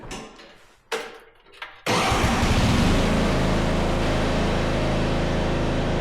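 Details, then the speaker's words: Yard Machines (MTD) riding mower with 13.5 hp Tecumseh single-cylinder, poorly maintained, quit after last working in October; after fixing the starter it bumps, catches and settles into a steady, even thrum with no clatter, starting and running normally. "Success! It was a starter all along. I was afraid it was going to be that compression thing on inside the engine, but thank God we didn't have to go through that. I'm happy. I like that sound."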